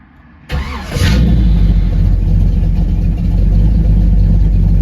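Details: Newly installed ATK 390 hp 350 small-block Chevy in a 1936 Ford, hydraulic roller cam, block hugger headers, single-chamber Flowmaster mufflers, heard through the exhaust: cranks, catches, then a deep choppy idle with even cam lope, normal.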